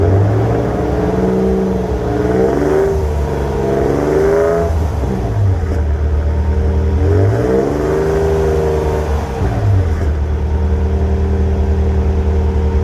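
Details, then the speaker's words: 2008 Toyota Tacoma with a cheap AutoZone muffler, before a Walker Quiet Flow install. Deep, booming exhaust swells loud through quick revs and settles to a heavy idle drone, audible inside the cabin. "Believe me, when you're driving, it just sounds horrible. It's a horrible sound. It's so loud."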